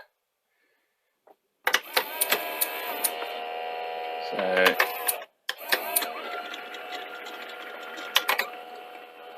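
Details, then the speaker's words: 1982 Toshiba V9600 Betamax with loading belt and capstan belt gone: loading motor whirs with shifting tones, irregular clicks and clunks, briefly cuts out; tape loading sounds laboured, mode switch suspected. "Can hear it making a heck of a noise. And just a little bit concerned about the loading. That could be the mode switch."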